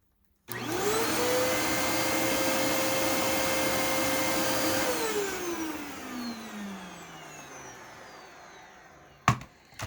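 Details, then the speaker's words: Late-model Dyson vacuum. The motor sounds a bit rough and the whine slowly falls in pitch over about four seconds after switch-off. Suspected clog or dirty cyclone restricting airflow. "still has a bit of a long wind down without the cyclone cycling probably needs cleaned cutting off a bit of airflow i'd imagine"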